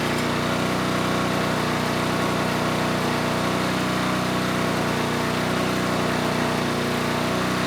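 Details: Generac G1000 750 W portable generator, no history, running a light load; smooth steady drone at constant speed, 132 volts at 60.5 Hz; normal running under light load, though the carburetor remains an issue.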